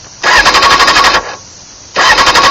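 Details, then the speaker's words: 2001 Honda CBR600 F4i with bank angle sensor flipped upside down: two even bursts of starter cranking with no firing; crank no start until sensor turned back and bike reset. "It won't start, right? Shut the bike off for a second or two. Let it reset."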